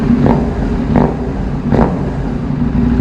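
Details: KTM Duke 790, about two years old, after replacing the weak original battery with a new Crank 1 AGM battery (12.4 V); engine now warm, steady low idle with a few light throttle blips, no rattles or misses. Normal idle.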